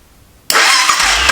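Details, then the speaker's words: Honda 400EX quad: starter whirs over at a high, uneven pitch without steady compression thumps; low cranking compression, only about 40 psi, throttle possibly not held open during test. Cause suspected, not confirmed. "We're only getting like 40 psi."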